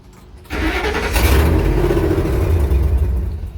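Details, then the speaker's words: 1954 International pickup, instrument cluster unplugged (passive anti-theft system involved): engine cranks, catches, runs rough a few seconds then dies repeatedly; owner first suspected fuel pressure, but it starts and idles once the cluster is plugged back in. "so it wants to start but it's not let's try it again you see it's dying over and over again it might just be a fuel pressure issue might just have to build it up"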